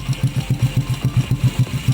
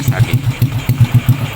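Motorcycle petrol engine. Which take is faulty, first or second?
first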